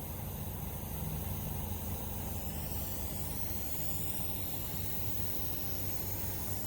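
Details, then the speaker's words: Homemade DIY oil or gas extractor, air off, still holding vacuum while drawing oil: steady airy hiss with low rushing and no rhythm; vacuum leak somewhere, spot not found. "All right, we're still holding vacuum with the air off. I hear a leak."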